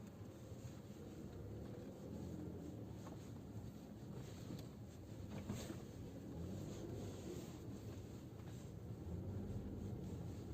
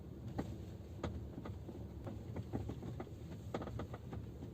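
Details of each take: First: Geely Atlas cabin on rough road after wrapping electrical tape around the rear seatback locks: low, steady road rumble, with the earlier knocking from the rear seats gone. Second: Geely Atlas driving on a bumpy forest road, sharp irregular knocks from the rear cabin over low road rumble, from the rear seatback latch mechanisms knocking at the latch eyes on both sides; owner then tries wrapping electrical tape.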